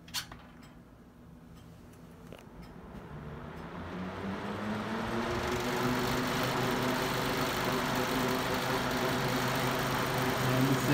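Motor spins up over a few seconds into a steady hum with a rough, pulsing buzz on high speed, a vibration of unknown cause.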